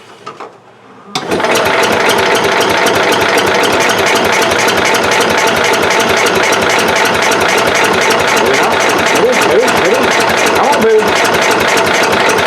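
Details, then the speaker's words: Cub Cadet 108 garden tractor after sitting, fuel turned on, fresh battery: starter cranks steadily about four times a second but never catches; fuel present, spark very weak; cranks but no start, weak spark. "all right well she's not firing up that speed spark was really weak"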